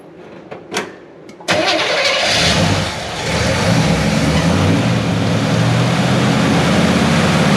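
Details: 1970 Chevy C10 327 small block with HEI distributor, manual choke and badly set ignition timing (ran rough, hard hot restarts), started cold before setting timing: quick crank, catches at once, settles into a steady even idle; a normal cold start.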